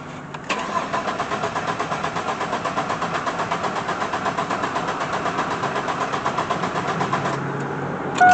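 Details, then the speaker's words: Chevy Blazer ZR2 after dropping the tank to inspect a cheap fuel pump: steady cranking, four to five beats a second for about seven seconds, never catches; owner suspects a remaining fuel pump problem, fuel draining back, unconfirmed. "weird i'm thinking i might still have a fuel pump problem huh"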